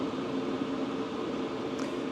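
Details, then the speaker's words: 2025 Hcalory Toolbox 2 diesel heater running wide open about 23 minutes in, about 396° inside the unit, drawing 29–40 W. Strong, steady blower roar and even burner rumble with no pump ticking. Normal running. "this thing is wide open I mean you can hear it no ticking but you can hear it I mean it's really pounding"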